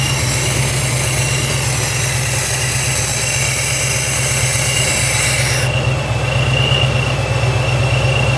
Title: Vacuum Leak